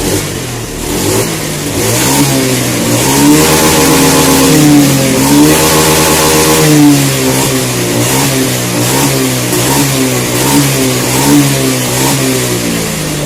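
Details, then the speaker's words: Honda Scoopy fuel-injected scooter that stuttered on initial throttle, after moving the TPS sensor fully down: clean repeated full-throttle revs rising and falling smoothly with no hesitation; healthy acceleration. "scopy injeksi ini yang berebet ketiga digas awal nah sekarang aman ya tidak ada masalah"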